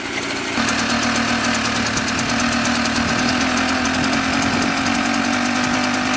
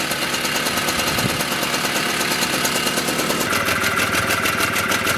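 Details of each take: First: Mobylette X1 two-stroke moped after an engine rebuild, ignition timing checked at about 24 degrees BTDC. It runs only at full throttle, with an uneven, lumpy beat that stumbles toward a stall, then stalls. Far too rich on an oversized jet. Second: Mobylette X1 two-stroke after an engine rebuild, with the drilled-out jet swapped for a good one, warming up. A steady, fast idle with a crisp, even beat and no stumbling or hunting. Runs healthy.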